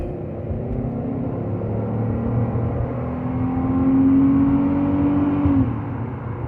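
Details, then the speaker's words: 2005 Buick LaCrosse 3.8 (3800) V6 after new spark plugs and wires fixed an intermittent P0300 misfire in wet weather, previously sluggish: engine note rises smoothly and evenly pulling onto the highway, no stumble or miss; normal acceleration. "you can already tell a huge difference in this just in the way it idles in the way it takes off just before it was real sluggish to take off"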